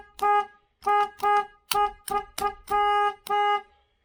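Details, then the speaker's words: 1968 Chevelle Nomad, one horn wired directly to power and ground (car should have two): eight short honks, clean steady single tone with crisp cutoffs; horn working. "That's just one. It's supposed to have 2."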